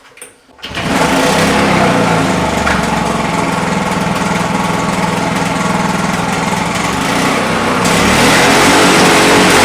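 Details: Roadside-dumped Victa Mustang 20 two-stroke lawnmower after refuelling and priming: catches after a pull, then a crisp, even buzz that holds steady and picks up near the end; runs, though some smoke is noted.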